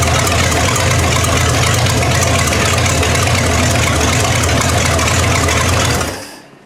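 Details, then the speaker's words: 1960 GMC V12 at idle after new plugs were fitted: an uneven, stumbling beat before shutting off. One cylinder misses. "Well, did you guys hear what I hear? The V12 has developed a miss. And I noticed that a while back when I started it up."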